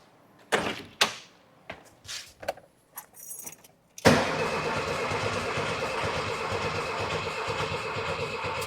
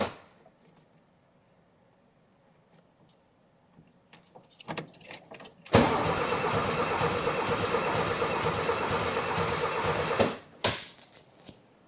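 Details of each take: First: 1979 VW Super Beetle, air-cooled, one owner, sat 10+ years after a fuel issue: starting fluid is sprayed in, a few clicks, then the starter spins the engine with a steady whirr and nothing catches. Cranks but won't start; later one cylinder tests just over 135 psi compression. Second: 1979 VW Super Beetle air-cooled, first crank after over 10 years sitting, new battery: keys rattle, then about four and a half seconds of even, strong cranking with no firing; normal healthy cranking.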